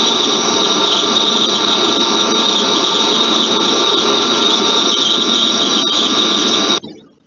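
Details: Grease-lubricated elevator/lift rolling bearing: loud steady high-pitched squeal held for several seconds then cut off, a dry squealing bearing.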